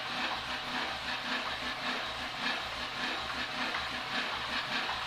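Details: Omega Super Charger air compressor, new unit at startup while setting pressure switch and purge timer: steady pumping beat near two strokes a second under bright airy hiss, even and unstrained; runs normally.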